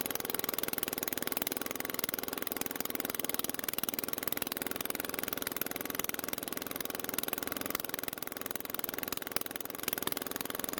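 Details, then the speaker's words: Unmaintained Toro mower after valve clearance adjustment (intake was too tight): small single running fast but stumbling and ragged with clattery top end, throttle unresponsive; a rocker stud has worked loose. "unfortunately while it was running and i was moving the camera to a different position it started to run badly it only took a few seconds to go from sounding normal to whatever that was"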